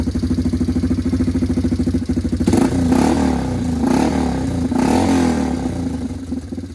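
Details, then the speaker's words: Single-cylinder four-wheeler idling with a steady thump, then three throttle blips, after the exhaust gasket packing fell out and the pipe was re-tightened on the header; leak improved but not perfect. "Not as good as it could be, but it's better."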